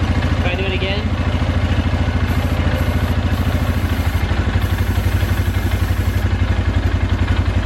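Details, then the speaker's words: 2012 Polaris Sportsman 400 HO carbureted ATV, single-cylinder idle thump about two per second; beat shifts when intake boot is sprayed, revealing a small vacuum leak at the cracked air-filter-to-carburetor boot; new boot to be ordered. "yeah so we got a little leak there that's not that big of a deal so I'm gonna definitely order a new boot"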